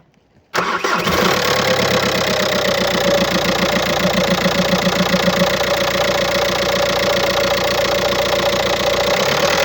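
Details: 2007 VW Golf Trendline 1.9 TDI diesel (BLS, 77 kW/105 PS, 240,050 km) catches at once and settles to idle with a steady, uneven clatter of about four knocks a second: worn dual-mass flywheel rattling.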